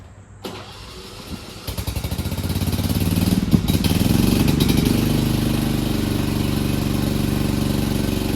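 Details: Free Cub Cadet push mower (probably MTD, Powermore engine) after carburetor cleaning and wheel repair: cranks briefly, catches within seconds and settles into a steady, even single-cylinder run with no misses; normal running.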